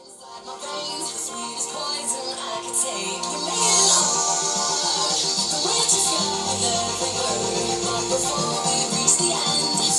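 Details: Thai 800-watt stereo amplifier that cut in and out, after replacing the faulty volume potentiometer: music plays steadily with no dropouts, crackle or hum; clean, normal output.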